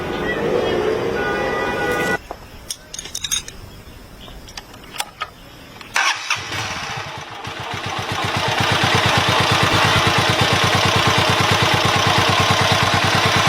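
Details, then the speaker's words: Motorcycle engine just after the air-fuel mixture screw was adjusted: it catches after cranking and settles into a slow, even putter of about three beats a second; idle slightly low, to be raised. "现在这个怠速稍微有点低，我们可以稍微调高一点。"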